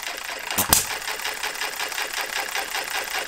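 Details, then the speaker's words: Model Farm Boy hit-and-miss engine (Jerry Howell design), first run after ignition set and Viton O-ring fitted, governor cycling about 570–650 rpm: quick, even ticking at a steady pace with no stumbles. Running well; governor may need adjustment or a lighter spring. "certainly running well"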